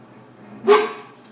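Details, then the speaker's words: Garage freezer, fairly empty: a single sharp, yelping bark-like burst over a quiet hum, repeating often; the compressor makes a noise like a dog barking, cause unknown. "her it came from right here and the ref in the freezer and for some reason the compressor is making the noise and it literally sounds like a dog barking"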